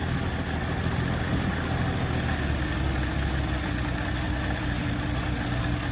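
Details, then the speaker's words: 1970 Ford Maverick, carbureted, after carburetor rebuild with working accelerator pump, vacuum advance and fuel line reconnected: steady low idle with uneven, stumbling beat; still misfiring some at idle. "Now we have an accelerator pump. So we should be able to press the gas and not die. Still misfiring some."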